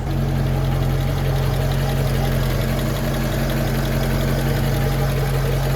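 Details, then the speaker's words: Ford F150, after transmission service and front-end noise repair: smooth, even low idle with a steady beat and no knocks, misses or rattles; running nicely. "And as you can hear and see, she's running nicely."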